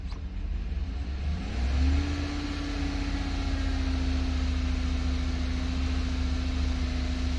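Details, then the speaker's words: 2018 Chevrolet Suburban LS V8 after overheating, melted intake leaking at cylinders 8 and 6, check engine light on: revved and held at steady high speed with a slightly uneven rough undertone; misfire, cause uncertain, blown head gasket suspected. "But I'm not sure if that's what's causing right now this misfire."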